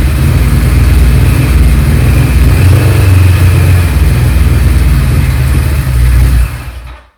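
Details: 1976 Kawasaki Z900 (Z1) inline-four, fuel stabiliser added, run until the carburettors empty for winter storage. Steady, even drone with low throb, fading out as the engine stops when the fuel runs out.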